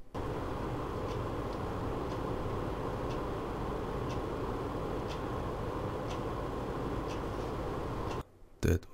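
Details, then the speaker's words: EK-XRES 140 Revo D5 PWM water pump at its lowest 11% setting, about 800–840 rpm, PC idling with fans at 40%, microphone about 20 cm away: quiet, steady low hum with no grinding or rattle. Normal pump noise. "so now it's running on 840 rpm around 800 on cpuid hardware monitor er around 810 820 as you can see so now 10 seconds you will hear the pump"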